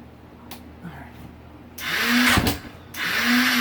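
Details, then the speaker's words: 2015 KTM 450 SXF with a no-start, being started after adjusting the throttle body cold-start knob with choke on; starter whirs up in short free spins without a steady compression beat: starter clutch slipping. "this thing's going to need a new starter clutch dang it okay I got it started and running starter clutch is going out"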